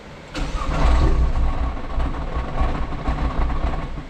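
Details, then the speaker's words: Nissan R35 GT-R with fuel pumps unplugged before fitting AEM high-flow pumps, cranked to relieve fuel line pressure: starter engages, a few ragged firing pulses catch briefly on residual fuel and fade. "I am now in the driver's seat, going to crank it a couple times. And it's okay if it does that, it'll do that for the first one."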